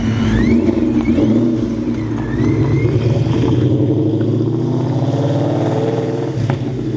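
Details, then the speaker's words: Big-turbo GT500 on its first drive. A strong, deep exhaust note rises and falls through the revs, steady and clean with no knocks or misses. It is a healthy engine that sounds really good. "sounds really good"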